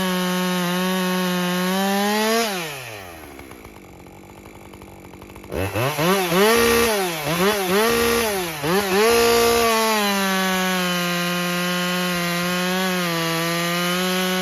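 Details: Husqvarna 550 XP Mark II chainsaw at full operating temperature after fuel retune for bogging: crisp high revs dip briefly under each cut and recover fast; clean full-load cutting, no bog.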